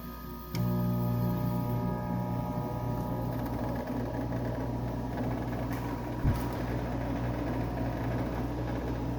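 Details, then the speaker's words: 1999 Whirlpool ACM052XH1 5,000 BTU window AC, R-22, 6 A, 625 W, about 23 years old, on low fan: a steady hum with a soft gurgling hiss. It is refrigerant flow the unit has always made, normal. "And yeah, that's just the refrigerant. It's always made that noise."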